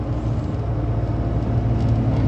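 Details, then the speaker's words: Suzuki Jimny JA22 at highway speed, about 120 km/h, after rear wheel bearing replacement: steady low road roar with no rising hum or rhythmic growl, just normal tire noise; repair later confirmed complete. "Sound normal to you? I don't hear any. This sounds like tire noise."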